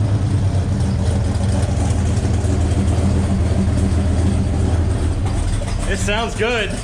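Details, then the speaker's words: Buick Skylark with 427 big-block V8, exhaust open at O2 sensor hole: deep, steady V8 burble at idle with no ticking or knocking; normal, healthy idle. "yeah what do you think sounds awesome sounds good"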